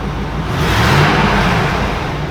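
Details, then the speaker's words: Truck running after intake manifold gasket replacement; started a bit rough (suspected water in places), now smooth, even rev that swells and settles with no knocks, misses or rattles. "it does sound nice i like it a lot better man"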